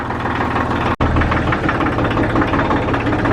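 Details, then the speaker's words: Inline diesel truck, compared by the owner to a Cummins, idling just after a glow-plug start: even, regular low knocking pulse with a steady beat and no misses or rattles; a healthy diesel idle. "All right, look, you hear that Cummins running? Kind of like a Cummins, you know, it's an inline, same"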